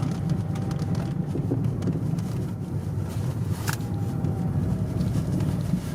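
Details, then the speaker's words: Toyota D4D diesel driving after replacing four faulty injectors, injector codes programmed with a diagnostic tool: low, even diesel drone under road and wind noise with smooth pull. Runs normally, no warning light. "Voilà, je suis avec, là je roule. Bah, roule normal, ouais."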